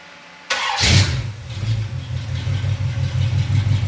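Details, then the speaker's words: Chevy 350 V8 during a valve adjustment, fan on: starter spins, engine catches and settles into a smooth, even idle with no top-end ticking; the valvetrain is very quiet. "And as you can hear right now, it's very, hopefully you can hear it, it's very quiet. This valve train is extremely quiet."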